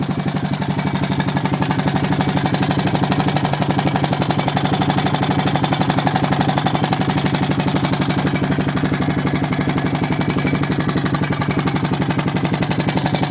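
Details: Honda Foreman at idle with steady, even top-end tick about four per second over smooth idle; valves already adjusted correctly, owner suspects timing chain, unconfirmed.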